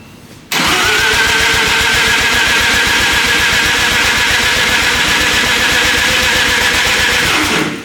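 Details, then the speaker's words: 13b turbo rotary engine in a replica Lamborghini build, first start with ignition timing set by guesswork: seven seconds of steady, fast cranking with an even chuffing rhythm and no firing; they think the timing is a little off. "all right first start obviously didn't work because we think we had the timing a little bit off"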